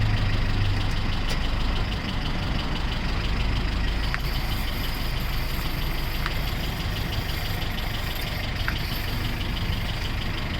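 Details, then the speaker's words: 1997 Honda CR-V running with the emergency brake off: deep idle rumble with rough metallic grinding from the worn half shaft carrier bearing between the front left wheel and the transmission output shaft; not brakes, front wheel bearings or engine. "you're hearing that grinding sound it's not supposed to sound like that it's not the brakes it's not my it's not my front bearings it's not the engine"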